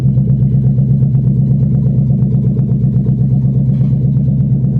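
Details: 1997 Ford Mustang GT V8 with no exhaust system, only the exhaust manifolds, driven off a trailer: very loud raw rumble with sharp even pops from the uncapped manifolds, fully open exhaust.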